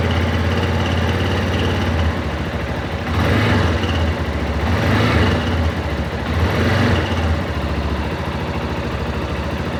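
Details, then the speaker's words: Yamaha Ténéré 250 single idles and revs with a loud rapid tick from the top end following engine speed; cam chain tensioner identified as the cause. "que que eu quê que acontece o responsável por esse barulho é esse cara aqui ó o tensor da corrente de comando"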